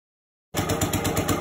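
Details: 1965 Cub Cadet 100 garden tractor, first start in years, after only running a power wire to the coil's positive side: steady, even single-cylinder putter with no misses or knocks; running fine.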